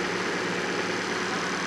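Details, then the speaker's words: Fiat Panda 4x4 Sisley after fuel injection work. The fuel pump had been overstressed regulating down and was blowing 15 A fuses; now it fully works. Steady, even idle with no misses, knocks or hunting. "the thing on it packed up but anyway there you go guys and girls this fully works now"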